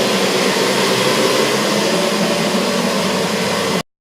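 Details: Old boiler-room cascade burner running after a Siemens RLU222 controller replaced a Polygyr RWF21.20, set to stop at 72 °C flow: steady, even roar with no pulsing, popping or rumble; burner running normally.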